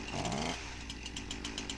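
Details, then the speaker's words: Husqvarna 346XP chainsaw after a quick first fix: chain no longer drags at idle but the saw still runs ragged and uneven with a crackling high-speed stutter; suspected air leak. "ll not running right but the chain isn't dragging anymore"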